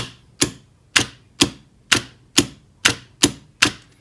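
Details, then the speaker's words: Star/delta starter with forward/reverse control on an FX5U PLC, forward contactor tested. Crisp, solid clicks about every half second as it pulls in and drops out cleanly, with input X12 following; normal operation. "And as you can hear, the contactor kicks in and out. And the input from the contactor, X12, comes on and off."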